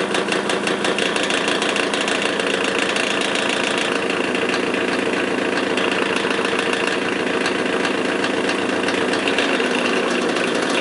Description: Bad bearings in an old Magnetek electric fan motor.